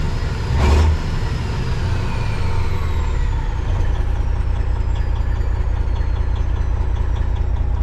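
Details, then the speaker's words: Kenworth cabover diesel running on its original ECM temporarily swapped in as a test; not charging, low voltage. Slightly uneven, lumpy idle with the odd stumble over a low rumble; rough idle, maybe rougher than before, cause unclear. "I honestly don't think it's any different. It actually almost sounds a little bit rougher."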